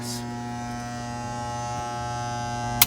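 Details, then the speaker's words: Jammed garbage disposal under the sink: motor hums steadily with no spinning, then a sharp click as the overload trips. The motor is locked up. "okay so i'm going to turn it back off i'm going to reset the reason it's tripping is because the motor is locked up"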